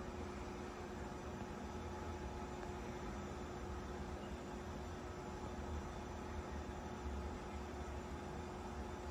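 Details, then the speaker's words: 52-inch Hunter Westminster ceiling fan from around 2010–2011, very dusty, run on high; motor hums steadily but runs weakly and slowly from a bad capacitor. "This fan has a bad capacitor, so that's why I put it on high first, because medium speed is faster."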